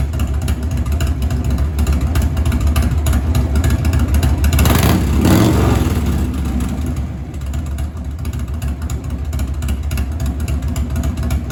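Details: 1997 Harley-Davidson Heritage Softail Classic, 80-inch Evo V-twin with new S&S Super E carburetor, after lowering the idle screw half a turn: steady, lumpy idle with one short throttle blip, settling back to an even beat; normal idle.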